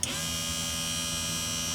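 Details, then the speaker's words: Budget mini wood lathe running without load after bearing issue: smooth steady motor hum, no rumble, ticking or grinding; spindle bearing spins freely; normal running. "now the bearing sounds much better right now"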